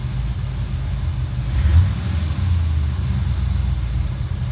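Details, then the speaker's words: 5.0 Fox Body Mustang after ECU repair with replaced capacitors, on cold idle: low steady rumble, throttle blip then revs fall back smoothly to even idle without stalling, unlike before the repair. "that would have killed it good deal that sounds a lot healthier i think that's what fixed sounds like"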